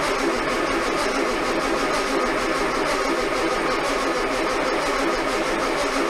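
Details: Armstrong Siddeley Star Sapphire-engined sprint special, first start attempt in probably over 40 years, oil filter fitted and oil poured in to prime pump, a little choke: starter churns fast and steady, engine never fires; cranking, no start, cause unconfirmed.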